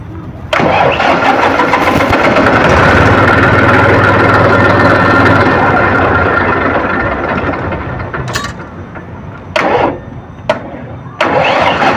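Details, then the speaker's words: Massey 1035 DI tractor diesel, restarted immediately after shutdown: cranks and fires roughly, runs loud for several seconds, then stumbles and dies; slow, hard starting, with a diesel injection pump problem suspected. "Silencer तो आपने देखा इसका condition कि कितना ज्यादा समय ले रहा है स्टार्टिंग होने में राउंड ले रहा है"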